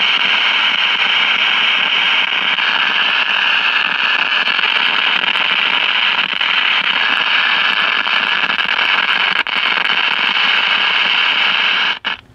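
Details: 1956 CBS 5-tube AM clock radio: loud steady hiss and crackle with no program audio, persisting after replacing the 12AV6 detector/first audio tube; arcing seen at the bottom of the IF can, a failing silver mica capacitor. Grounding the detector input stops the noise.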